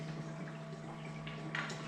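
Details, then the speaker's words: Printer commissioning, makeup fast-drying black bottle pushed in and draining into the makeup reservoir over 20–30 seconds: steady low hum with soft, irregular gurgles and bubbles until it stops; normal fluid fill. "takes around about 20 seconds 30 seconds to drain into the printer you'll hear it stop gurgling and you'll also see this level here is the same makeup low"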